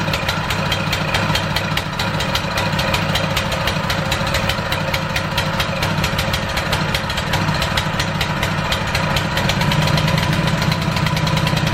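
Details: ETQ high-pressure fire pump small engine, cleaned with new fuel and carburetor found barely dirty: it starts on the first pull and settles into a steady, even idle with no misses, knocks or surging, running great.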